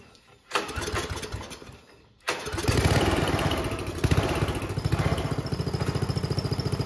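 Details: Homemade junkyard go-kart small engine, pull-started after a carburetor clean with the air box off. It runs with sharp, uneven pops about three or four a second, backfiring badly, which suggests it is running a little lean.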